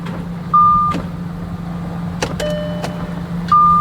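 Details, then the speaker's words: Audi Q7 with a weak battery, being jump-started from another truck: only a few dry single starter clicks under the hood between dash chimes, no cranking at all; the battery is clearly too weak and needs charging before the engine will start. "I hope you can hear the starter click under the hood [Music] so as you can see the battery is clearly weak"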